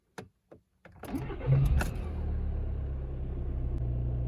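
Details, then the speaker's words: 2011 VW Jetta TDI diesel after fuel filter replacement, key cycled on several times without scan-tool priming: a few clicks, quick crank and catch, settling into steady even idle; normal start. "happy to hear that now i just need to check and see if there's any leaks"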